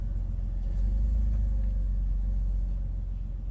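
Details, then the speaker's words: Jeep Wrangler idling roughly, deep uneven rumble surging about every five seconds; alternator clutch pulley found popping out (ignored) and throttle body needed cleaning, which was the fix applied. "I think our Jeep has an idle problem let's check it out rough idling every five seconds about every five seconds it goes back"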